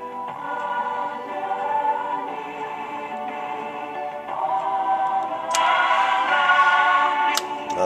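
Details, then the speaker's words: 1936 Philco Model 630B after alignment, on the broadcast band: clean, full music with singing plays steadily with no hum, crackle or fading. The radio is playing well. "that sound right there that's nice that's it playing good"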